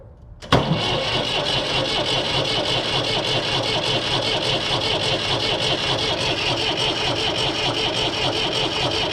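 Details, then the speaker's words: Massey Ferguson 135 diesel tractor, after bleeding air from the fuel system: starter spins the engine over with a steady churning rhythm but it never fires, a crank-no-start; cause not confirmed. "Nothing yet."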